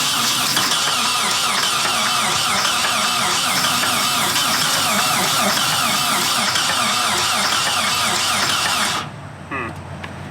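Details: 1991 Nissan 240SX hatch that sat in woods for 11 years, cranked with the alternator belt cut off: steady cranking about four beats a second with a high squealing whir. Never catches; cranks but no start.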